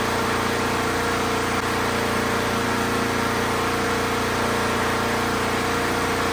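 A steady, even single-cylinder drone holds at one speed with a slight roughness underneath; the mower is running again after refuelling.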